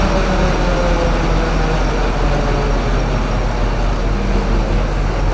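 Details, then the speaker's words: Bourgault 7000 air seeder with Auto Section Control, only tank 1 running, X30 increase/decrease test: steady low drone whose tone steps up and down with metering shaft speed; normal operation. "I'll turn the other tanks off other than tank 1 so you can hear it better. Increase, decrease."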